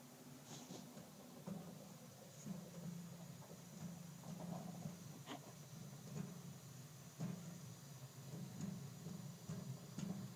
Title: Water heater is making popping sounds